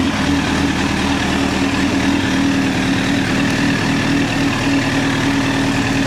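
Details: 2009 Honda CBR1000RR Fireblade at 61,211 km, started with a jump pack: steady even engine note at one speed, no misses or knocks; running smoothly.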